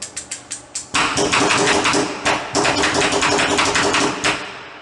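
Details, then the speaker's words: Electrical contactor chattering ("repicando"), rapidly switching off and on with strong vibration mainly at pull-in: a few sharp clicks then a fast, hard metallic rattle. "agora falando de quando ele está repicando é algo parecido com isso que acontece"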